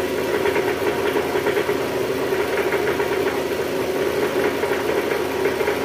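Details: Toyota Estima with 2AZ-FE engine at first start, AC on, in R or D: a coarse, uneven grumble with a fast knocking pulse at idle, traced to the oil pan area. Diagnosed as a worn balancer shaft.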